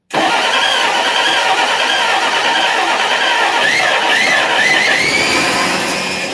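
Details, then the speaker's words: 1961 Studebaker Lark first start after plugs cleaned and firing order reconnected: catches right away and runs ragged and uneven at a fast idle, then oil shoots out until oil pressure builds. "Spin it a little bit and then I'll give it some juice. That sounded like running."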